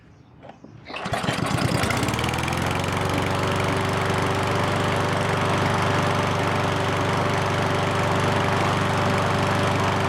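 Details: Ariens push mower that wouldn't start after long storage, now running after a carburetor clean, with fuel and choke set; after a couple of quick pulls it catches at once and runs steady and even, no surging or stumbling.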